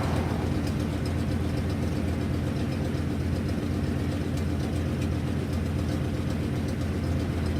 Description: Exhaust leak on my 97 f250 460 c.i. 7.5l